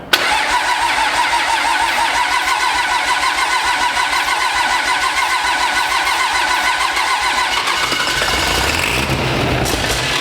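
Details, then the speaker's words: Pro street truck on its first start-up after a Motec M141 install: fast, even starter cranking for about eight seconds without catching or running on its own; cranks but will not start. "I mean, if it's a little cold, it cranks a little. But it's not starting, so we're gonna see if we can encourage it."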